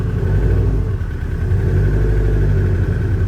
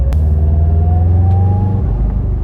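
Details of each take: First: Subaru STI with an EJ257 engine at idle: a deep idle with a dull, slightly uneven knock. The cause is unknown; the owner suspects the power steering pump and will remove its belt, or possibly something in the engine. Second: Subaru STI with $200 EJ257 engine after a knocking-noise investigation, driving at about 2000 rpm: smooth, even boxer rumble with pitch climbing gently, no knocks or ticks; engine sounds healthy.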